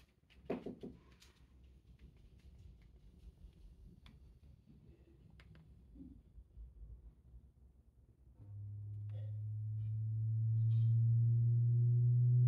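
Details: Samsung HW-Q800A soundbar connected via HDMI to an Insignia Roku TV, placed on a bed to rule out nearby objects: quiet at first, then a steady low hum around 100 Hz from the soundbar itself; cause unknown.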